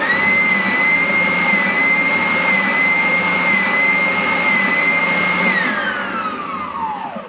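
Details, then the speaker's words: Draper oscillating spindle sander, about 10–12 years old, after replacing drive belts for failure to oscillate, test before final reassembly: steady high motor whine at even speed, smooth spin-down, no rattles; working properly. "Bingo. So that all seems to be working fine."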